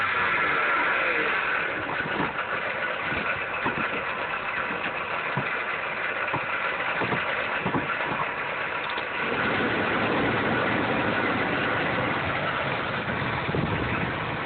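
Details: 2007-2009 Dodge Caliber 2.0L/2.4L at idle: harsh grinding rasp with steady whine and faint irregular knocks, attributed to a noisy alternator pulley.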